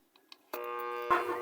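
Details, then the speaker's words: Kawasaki TCF1 submersible water pump, 1 hp, 220 V AC single-phase, complaint of loud humming and won't run; plugged in, a loud steady electrical hum with no run-up: locked rotor hum from seized bearing. "yan guys ah kung maririnig niyo ang lakas ng ubong."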